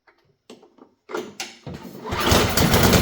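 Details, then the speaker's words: Simplicity two-stage snowblower single-cylinder engine, low compression reading of 64, fuel dribbled in as primer; a few weak puffs then catches and roars up on primer fuel, feed likely starved, carburetor to be serviced next. "well let's dribble a little something something down there and see if we get his thing to pop off for us"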